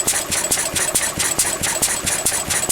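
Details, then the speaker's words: Pre-electronic engine smoking while its fuel mixture is set; uneven, lumpy low idle with beats skipping between strong strokes, eight-stroking because the mixture is too rich, so it is weakened off. "that's because it's too rich a mixture. So we weaken it off."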